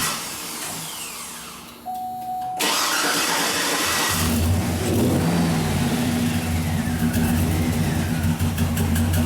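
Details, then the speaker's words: 2007 Cadillac Escalade V8 with misfire (cylinder 8 main, also 7), check-engine light flashing and traction-control light on: starter cranks a second or two before it slowly catches and settles to idle; hard starting reported, sometimes it won't start at all. "y otra cosa que se me olvida comentarles para encenderla cuesta mucho trabajo hay veces no entiende para nada otras veces le cuesta trabajo así que no sé si inclusive vaya encender y tanto"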